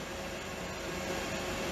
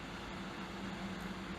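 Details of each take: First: Wanptek EPS3210 32 V 10 A power supply, internal temperature reading 105°: a steady airy rush from the small fan spinning evenly with no rubbing; the heat-triggered cooling fan has just cycled on. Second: Wanptek EPS3210 32 V 10 A power supply switched off after load testing, with the dummy load still cooling down: a steady, quiet, even whoosh with a faint low hum and no rattle; this is the dummy load's cooling fan running normally.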